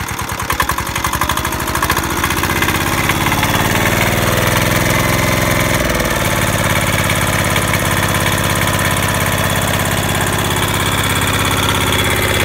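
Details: Military-surplus Hatz diesel, unused since stored in 2003, first start: catches, picks up speed, then settles into an even, steady thumping run with no misses or knocks; healthy.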